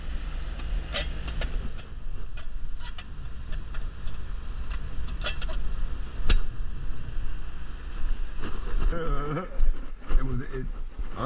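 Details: AC condenser after its hard start kit melted, seemingly from a power surge: steady low compressor hum with the fan turning and a few light clicks; the unit starts and runs normally.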